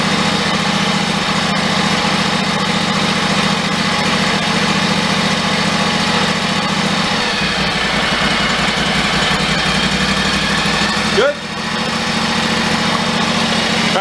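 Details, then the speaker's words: John Deere riding mower after cleaning mouse debris from cooling fins and reassembly, previously surging and stalling after 10 minutes: steady, even low idle with no hunting; governor holding speed smoothly. "turn the idle speed down but that's probably low as it wants to go but it's not hunting"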